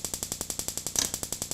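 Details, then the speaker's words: Dual Therm 315526 RV furnace ignition board on a bench tester, instant-fire single-try remote sense board, a known-good board: crisp, even spark snapping at about eleven per second with no skips; igniter sparking normally. "when I turn this board on it'll very quickly go from NC the valve and into ignition and I sense a flame off the remote terminal and it will sit here and run until such time as I"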